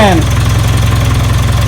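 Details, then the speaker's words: 1996 Geo Tracker four-cylinder after no-spark fixed by reinstalling the original distributor replacing a failed cheap one: smooth, regular low putter at steady idle, no ticks, knocks or misses; some smoke, sounds healthy. "still got smoking oh it's before it's running and it actually sounds healthy"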